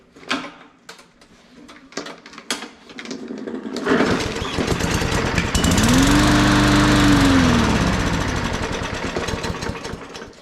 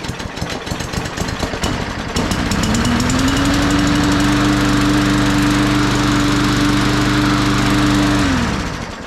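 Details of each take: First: New budget Walmart push mower that sat unused, brake cleaner sprayed into the carb intake: catches, chugs roughly a few seconds and fades out; runs only briefly, likely a stuck carb needle. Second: Cheap Walmart push mower that sat about 1.5 years, run right after its stuck carburetor needle was freed; catches and holds a steady, even buzz, then winds down; blue smoke on startup, owner suspects odd oil.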